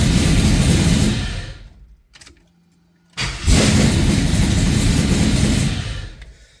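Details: Oldsmobile Cutlass after fixing the fault, no codes, engine fires promptly, settles to even steady low idle without misses or knocks, shuts off and restarts cleanly; normal start and idle.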